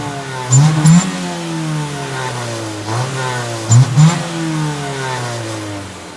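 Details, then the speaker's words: 1997 Honda Civic Coupe DX, D16Y7 engine, stock except a short-throw shifter, upper radiator hose just replaced: two clean revs rising and falling from a smooth idle, pitch climbing evenly, no knocks or misses; runs good, healthy engine. "But it does run good, so it's not a piece of shit. I like this car."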